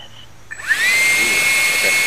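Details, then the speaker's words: 10-blade EDF fan at the final balance spot: whine climbs quickly, then holds a clean, steady high pitch without wobble or buzz, sounding the same hand-held as on the table. Fan balanced. "hear the sound the difference and there's no difference from when I'm holding it and when it's on the table that's perfect so that's it so that's the spot"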